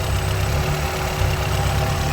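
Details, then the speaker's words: 1991 Honda Civic hatch with a swapped B16A engine, warm after a test drive, charging over 14 V, radiator fan just kicked on; steady low idle with an even whooshing fan, no knocks or misses; normal idle (check-engine codes 9, 10, 14 stored). "The fan kicked on. Everything seems to be good."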